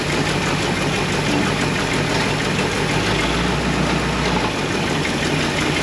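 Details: 1977 Ford Mustang II engine in a 1969 Mustang Mach 1 with bad piston rings, smoking and blowing oil out the breather and exhaust: rough, steady cold idle with a loud, dull knock under the engine roar; bottom-end knock, cause not confirmed.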